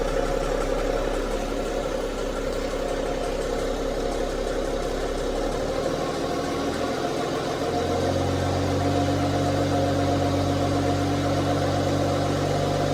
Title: bmw 530d ticking noise